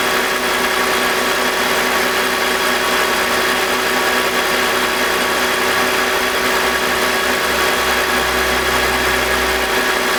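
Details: BMW E46 with M52TUB25 engine, VANOS disconnected during a test for a grinding noise suspected from the VANOS, worst at startup: smooth, steady idle hum with a constant whirr, no grinding and no RPM dip.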